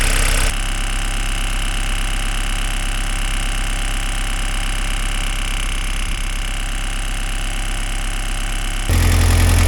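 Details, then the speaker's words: Rexroth A10V028 variable displacement hydraulic pump on a Pel Job LS2000 excavator, just repaired and reinstalled after being filled with oil: steady, even diesel idle with a smooth low beat, no knocks or misses; engine not working the pump, normal idle before pressure settings are reset. "You can hear this engine is not working at this moment. It's completely idle. And that's the way it's supposed to be."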